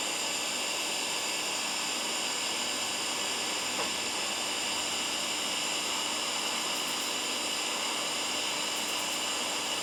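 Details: Firstess (Yeswelder) DP200 in lift TIG mode, 125 amps on 1/8 in plate, manual shield gas valve: constant smooth hiss with faint steady high tones, holding even for ten seconds without crackle or breakup; arc runs normally.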